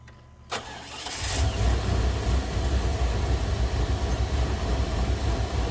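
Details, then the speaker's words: 2000 Chevy Tahoe Limited, Vortec 350, daily driver after sitting under snow; no-start with random hits traced to a corroded distributor cap causing crossfire: quick crank, catches and settles into smooth, even idle with steady low rumble. "so there we go he's running it's something just as dumb as a little bit of corrosion inside the distributor cap"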